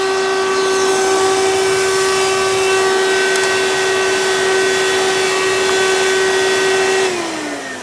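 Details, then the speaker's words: 1992 Hoover Elite II Total System Performance 650 upright vacuum (U4689-910), direct-air motor in tool mode with the hose attached: steady high whine that sags as it winds down, sounding strained; tools rarely used, motor work suspected needed. "so i think you guys could probably hear that this clearly wasn't been used with the tools very often so may need to have a little bit of motor work done to it"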